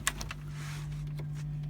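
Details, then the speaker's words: 1988 Nissan Urvan hi-top campervan, 314,000 km, petrol: after a few clicks, the fridge running off the battery makes a steady low hum with no rattle; normal operation. "can hear that humming away um the fridge runs off the battery"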